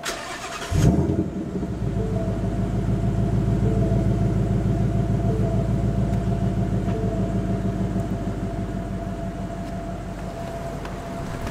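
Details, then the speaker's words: 2018-2019 Mustang GT Bullitt, third-generation Coyote V8 with a minor tick at 1k-3k rpm, first start after adding Ceratec: cranks and catches quickly, settling into a smooth steady idle, no tapping, seemingly quieter than before. "Here the car is idling very, very well actually. I almost want to say it's quieter than when I had it previously."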